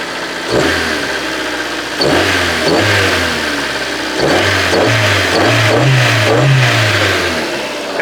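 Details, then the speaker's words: Rover 216i cabriolet with 320,000 km: crisp throttle blips from idle, revs rising and falling cleanly without knocks or misses; healthy free-revving engine that pulls decently. "it's it's sounding great and it's pulling really decently also"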